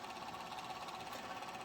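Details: Golden Tee Fore arcade machine on the bench, stuck on boot check with no hard-drive activity light: faint steady whirring with a rough, rattling buzz and thin whine; worn bearing in a small cooling fan.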